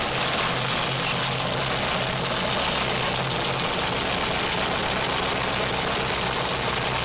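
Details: Engine on self-built MegaSquirt 2 v3.0 standalone running MS Extra code, cranked with laptop monitoring: steady idle under heavy hiss, even beat, no misfire or knock standing out; healthy.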